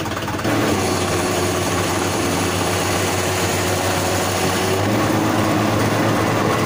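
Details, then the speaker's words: Mahindra 575 DI tractor at diesel idle: no noise with the clutch pedal pressed, but a rough, uneven rattle as the pedal is slowly released and drive engages. It seems to come from the gearbox, with the clutch suspected. "जैसे ही हम clutch pedal को दबाते हैं उस टाइम आवाज़ नहीं आती है, और क्लच पैडल को धीरे धीरे से छोड़ते हैं और ट्रैक्टर चलने की पोजीशन में आ जाता है, उसी टाइम ये आवाज़ आती है।"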